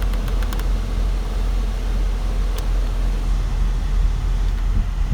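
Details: 2002 Nissan Sentra after repairing the vent selector control dial: steady low airflow rush with even fan hum, no ticking, rattle or squeal; blower running normally.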